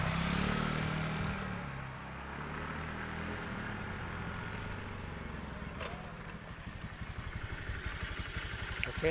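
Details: Motorcycle fitted with a fingerprint immobilizer alarm: a short alarm tone stops once a registered fingerprint is applied, then the engine catches and settles into a steady, even idle; a clean, normal start.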